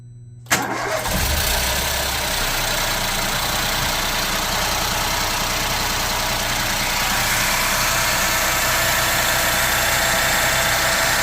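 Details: Ford Fiesta 1.0 EcoBoost petrol engine at cold idle: a busy, rattly hiss over the steady hum, heard only when the engine is cold, fading after 25–30 seconds and absent when driving; cause unknown.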